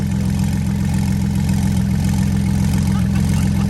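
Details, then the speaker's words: Flood-damaged Porsche 911 Turbo, second start after draining water-contaminated fuel, oil 50/50 Marvel Mystery Oil and 0W40: deep steady idle, even low beat, no misses or knocks; running smoothly. "but now now it's running butter smooth and we're about to watch it clear up hopefully"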